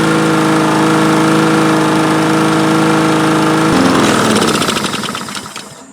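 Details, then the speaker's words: Vintage Honda Harmony II HRR216 mower, estimated mid-90s, unused for years; after the carburetor was cleaned and refitted it started first pull, air filter off. It runs at a steady even pitch, then is shut off and winds down; running okay. "Well, we did it. We went from not running at all, not starting at all, to starting up on the first pull. And running, I wouldn't say great, but okay."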